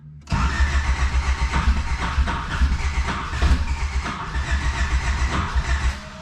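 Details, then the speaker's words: Turbocharged car on a newly uploaded tune: about six seconds of steady cranking that never fires; previously started on a fresh starter; fuel is to be added to the start tune; cranks but no start. "okay so now we're gonna add some feel into that because it didn't start right away and this car has started on a fresh starter before"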